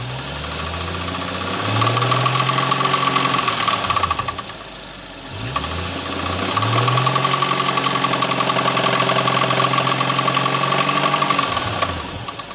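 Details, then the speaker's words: 2016 BMW M135i with stage 2 remap, revved after cold start, damaged after a rolling launch in first gear hitting the limiter: a hard metallic knock over the engine, quickening with revs; owner suspects rod knock, not confirmed. "and as you guys can hear the engine sounds bad man"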